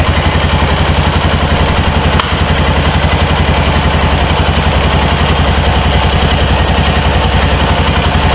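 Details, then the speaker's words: 2005 Honda Rincon 650 (TRX650FA), abandoned for carburetor issues, on weak battery with booster pack: steady, even low single-cylinder pulse about 220 per minute, no knock or clatter. Normal running. "no knocking sounds or anything that thing is fire"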